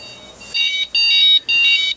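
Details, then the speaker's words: Houseboat helm control system just after shift control and cockpit supply breakers are switched on, before engines start: loud high electronic beeps in long on-off bursts, the normal power-up alert. "you'll hear an obnoxious beeping noise that tells you you just turn the breakers on"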